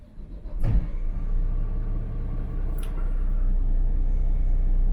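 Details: Yacht port engine start during alternator and battery combiner check, battery 12.6 V before start: starter catch, then deep steady rumble firming with a little throttle, voltage jumps to 13.6 V; fires cleanly, charging OK.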